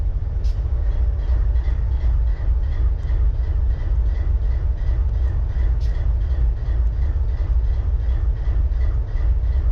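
Heavy deep diesel idle with an uneven, lumpy pulse instead of a smooth beat, pointing to one cylinder not firing.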